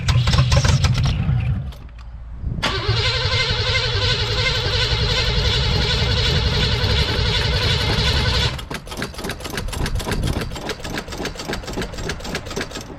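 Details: 1983 Buick Estate Wagon, unrun for 30 years, with new spark plugs, wires and fuel pump and confirmed spark: it cranks, catches and runs roughly for seconds, then chugs and stalls. It is getting fuel, but the owner suspects the old gas.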